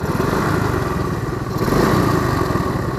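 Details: Shogun Kebo 110 motorcycle, recently back from five months idle at a workshop, warmed up, riding: busy, clattery, rough-running engine with uneven mechanical chatter over the exhaust; owner finds the engine sound abnormal, cause unclear.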